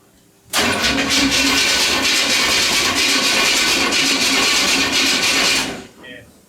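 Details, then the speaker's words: Nitrous small-block Chevy V8 (Brooklyn Dodger) first fire-up: starter cranks steadily about five seconds, no cylinder catches; power reaches the distributor but no spark at the plugs; owner suspects the distributor may need an MSD box. "we tried to fire it up we're not getting fire we're getting power to the distributor but not uh out of it at the spark plugs"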